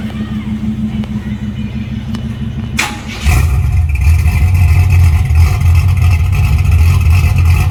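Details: 1981 Camaro V8 just after top-end swap (roller cam, aluminum heads, new intake), open headers, timing and carburetor not yet set: whir, then it catches into a loud, choppy, deep idle, sounding healthy; normal idle.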